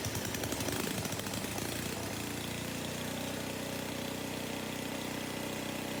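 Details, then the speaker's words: 1982 Craftsman 4 HP snow blower with Tecumseh engine, after fuel line replacement: small single-cylinder engine settles from a rough start into a steady, even buzz at constant speed; running like new. "I'm impressed this thing is running just like new"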